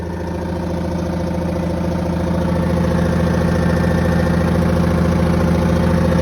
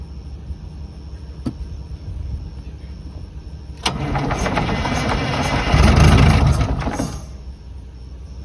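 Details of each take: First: 1982 Silver Eagle tour bus, Detroit 6V92 two-stroke diesel, parked 6–10 years: steady even idle with fast regular beat around 140 a minute, no knocks or death rattles; normal idle. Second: 1982 Silver Eagle tour bus, Detroit 6V92 diesel parked 6-10 years, on one small battery: slow cranking, then it catches on a small shot of ether and roars a few seconds before dying; runs only on starting fluid, cause unconfirmed.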